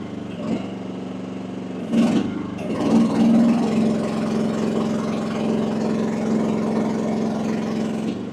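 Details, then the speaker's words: AGT WH12R 1-ton Chinese mini excavator, diesel, bucket deadheaded both directions at about 2300 PSI on gauge; idle lugs down into steady, slightly deeper smooth drone as hydraulics hit relief, sounds healthy: normal hydraulic relief at deadhead. "And that's deadheaded both directions. I'm going to dead head the boom."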